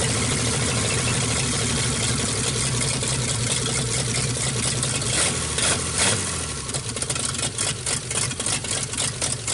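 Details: 1948 Nash engine, bored 60 over, first start after head work. It runs fairly even at first, then the beat turns ragged and stumbling. Owner says it runs pretty good but floods out; a carburetor kit is planned.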